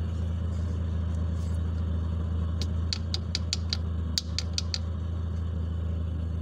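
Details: DX car with a Wingas regulator, after drilling a side vent hole in the regulator: low steady idle hum with a few light ticks, no hunting or surging, speed held evenly.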